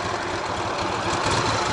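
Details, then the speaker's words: Ural sidecar motorcycle restarted after a lunch stop on a touring trip: starts well, steady even boxer idle with a soft uniform beat, no knock or ticking; quiet at idle, the knock only suspected under load. "запуск отлично стоит на холостых работает"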